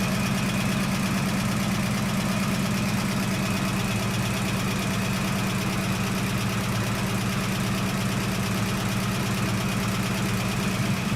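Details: 1969 AMC Javelin 290 V8, carbureted, cold start after sitting about six months: steady idle with a light, quick tick about three per second; owner suspects a lifter needing to pump up; accelerator pump also leaking fuel.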